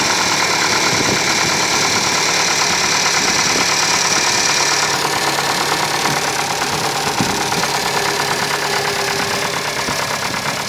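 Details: 1992 Opel Astra F, C18NZ petrol engine, automatic, 265,000 km on the odometer; cold start before hydraulic lifter replacement gives a steady light metallic tick from the top end, about three a second, from the hydraulic lifters.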